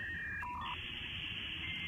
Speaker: it's very noisy and it's very distinctive when you hear that sound it means you're going up into the internet